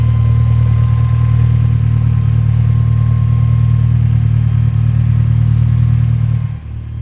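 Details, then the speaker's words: Mitsubishi Evo 10 on a roadside stop, hot: deep, loud idle with uneven pulsing beat about four per second, lumpy like missing a cylinder; owner suspects heat, nothing visibly wrong, still drivable. "Everything looks fine to me. Maybe it's just super warm and that's why it's running funny."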